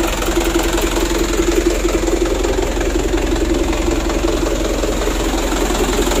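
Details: 2010 Canter 125 PS diesel truck: lumpy uneven idle with irregular thud about twice a second, shaking from unequal injection pump plunger settings; engine then stopped to adjust the plungers so the shake is normal.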